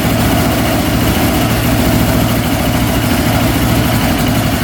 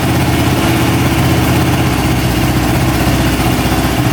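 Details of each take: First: Newly traded ATV jump-started on a dead battery with choke on: loud, uneven, lumpy two-stroke running that dies away. It is very hard to start and needs choke. Cause unknown; owner plans to check whether it is eating coolant. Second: Traded machine after carb cleaning, valve shimming and an accelerator pump check; even, steady idle with a smooth low burble and no misses or surging, running much better than before with no carb leaks.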